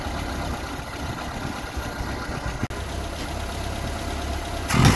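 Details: 1975 Vauxhall Viva barn find, Weber carburettor and Edelbrock intake, after feeding 12 V to carb idle cut-off solenoid: even low idle, then clean quick rise in revs with no stumble or misfire; normal idle and revving.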